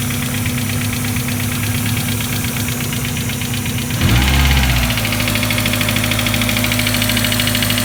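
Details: Miata first start after replacing all four injectors (shop blamed a cylinder 3 misfire on a bad injector); plugs new, coil pack and wires fairly new. Lumpy idle with hissing leak, source unknown; seems to run on four cylinders, then drops to two.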